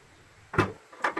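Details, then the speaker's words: 2008 Chevy Equinox rear hatch after installing new original-style latch and new touch pad; sharp clunk then a quick double click half a second later, the hatch latch releasing properly. "oh that sounds like an unlatch i gotta hold it here hold that thank you"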